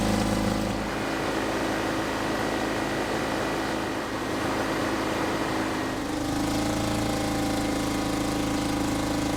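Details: 1970s Insley H800 excavator diesel, unused 25+ years, after fitting four injectors and new injector lines, started without ether: catches and settles into a steady, even chug with a firmer note after six seconds. Normal diesel running.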